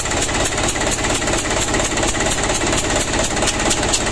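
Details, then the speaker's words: Ragasa 120 PS diesel engine at idle with reported engine leak; rapid steady ticking chuff about two per second, very loud: compression leak found at number three injector nozzle. "ternyata Lur ada kebocoran pada nozzle nomor tiga Suaranya sangat crosshair ya"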